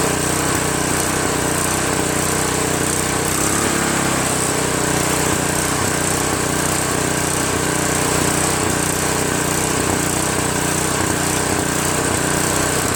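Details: Craftsman OHV 5.5hp 26-inch dual-stage snowblower, after its surging carburetor was replaced with a Chinese copy and the fuel line and primer hose were reconnected: it settles smoothly after starting into a steady, even idle with no hunting or surging.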